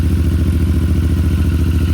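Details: CFMOTO Ibex 450 single-cylinder at 587 miles, first startup in neutral after its first break-in oil change, idling about a minute: steady, rapid low thumping with an even beat, no misses or knocking, smooth and healthy.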